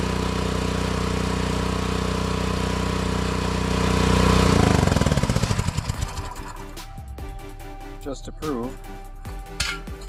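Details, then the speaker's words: Mini excavator engine after a tri-fuel (gasoline/propane/natural gas) conversion, running on propane: smooth at high RPM after the mixture screw was turned in, then it suddenly stumbles into spitting and popping. Propane mixture adjustment is off. "Turned it in. Sounded real smooth at high RPM then all a sudden started spitting and popping as I continued."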